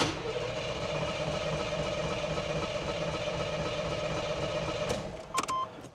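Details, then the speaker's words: 1984 Chevrolet Monte Carlo SS barn find: steady starter cranking at about four turns per second that never fires; fuel squirts at the bottom of the line to the carburetor but none reaches the top. "Why in the world is it not pushing fuel up here to the top?"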